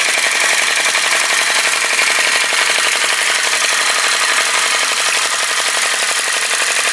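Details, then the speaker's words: Retro VE-01 crossbeam flame licker vacuum engine after pulling the wick out for a bigger flame: crisp, even popping about four beats a second, steady with no misses. Running smoothly, sounds better straight away. "see if it'll stop blowing itself out slide it again that sounds better straight away"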